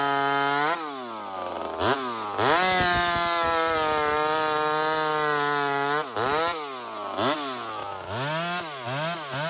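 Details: Small Homelite chainsaw, described as 28 full house on a stock chain, cutting wood: sharp revving, then a long steady pull holding pitch under load, with clean rev-ups after. Normal cutting; strong and healthy.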